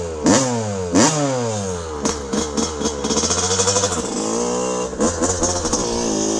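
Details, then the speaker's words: 1982 Honda CR125R, original stock two-stroke, running: crisp revs rise and fall cleanly with throttle, no rattles; great-running, tight engine. "what a great running bike just absolutely fantastic tight tight as can be"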